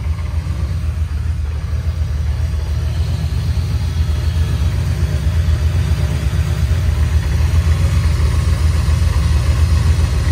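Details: 1987 Camaro Z28 V8 revived after nearly 30 years parked, alternator disconnected, warming up with coolant temperature rising: deep even low rumble, steady rhythm, no knocks or ticks; no leaks, good oil pressure, smooth idle.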